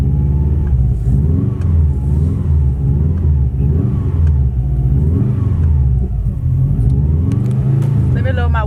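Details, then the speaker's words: Subaru WRX revved in place on a freezing night after rain, won't pass 3,000 rpm: revs rise and fall at low rpm, reluctant to climb, with sharp exhaust pops; misfiring and backfiring. "so you guys can get it better here check out this backfire sheesh"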